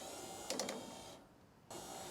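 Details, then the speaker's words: Newly linked wiper motor in a 1954 Ford F600 on a 1995 Toyota Coaster bus chassis, with a bolt temporarily through the linkage and not yet bolted in: a soft, even electric whirr that stops and restarts, no grinding or clunks; working normally. "But for now, let's plug it in and see if this actually does wiper things. Oh, there we go. It's doing wiper things."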